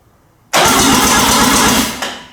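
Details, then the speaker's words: Mazda RX7 12a rotary being revived, second crank in neutral, coils not firing due to a wiring fault that earthed them out: strong, even cranking for about a second and a half at a steady rate, then winds down; turns over freely. "So that's like step one completed. We got it turning over. Let's do it one more time."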